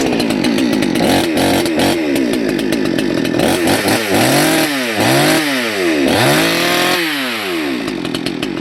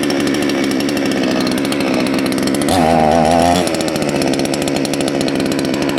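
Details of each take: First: Salem Master chainsaw during carburetor adjustment: revs wander and burble unevenly instead of holding a crisp note, and the exhaust stinks; low-speed jet set way too rich. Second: Salem Master chainsaw after carburetor readjusted back counterclockwise about half a turn: crisp, even two-stroke buzz holding steady, picking up briefly with throttle, no stumbling or surging; running clean.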